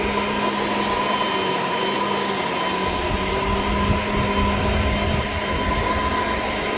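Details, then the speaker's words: Shark Infinity Pet Care vacuum in carpet mode: motor whines steadily with rough uneven creaky drone from brush drive, brush roll repeatedly stopping; very old worn brush roll belt needing replacement. "oh creaky creaky creaky all right so as you could hear the belt on this is like pretty much shot like it's it's really old clearly needs to be replaced"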